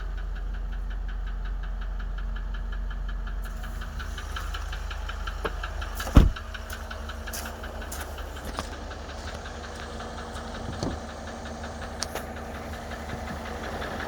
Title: Range rover vogue L405 2013 Engine Knocking (Upper Right) Side